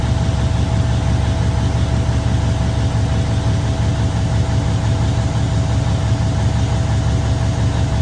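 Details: Truck diesel after an in-frame overhaul and injector replacement; a steady, even low rumble with a faint constant whine, no misses or knocks, a healthy idle with oil, fuel and air pressure and alternator good.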